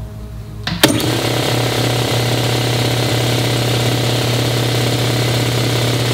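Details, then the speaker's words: 60-gallon air compressor bought new around 2009, first run after replacing leaking head gaskets top and bottom: click, then steady low thumping with even hum, no knocks or rattles; running normally. "this will be the first run since uh we did all the replacement stuff up on top"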